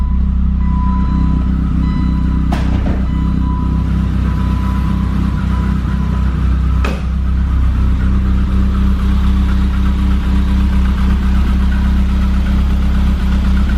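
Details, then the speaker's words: 1988 BMW E30 M3 cold-started after sitting 6 months, oil pressure up quickly: steady, deep, loud idle with an even pulse and no knocks or ticks. Normal cold start idle, loud exhaust. "All seems well. It's got a really loud exhaust, but it sounds good."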